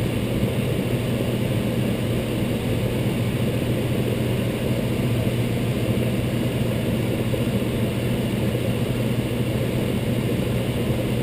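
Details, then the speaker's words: Intertherm electric furnace on a no-heat call (sequencer suspected), power on with thermostat at max: steady blower rush and electrical hum, first leg 20 amps, then about 19.8–21 amps as other heat strips click on; normal operation. "I heard to click there the other heat stps are now running they're running at 21 amps and that will fall down a little bit"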